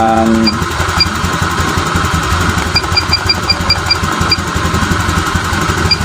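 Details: Honda Vario 125 (old) after repair and ECU reset: small single putters at a steady idle, no surging or stumbling, faint electronic beeps in background; idle stable, O2 sensor reading.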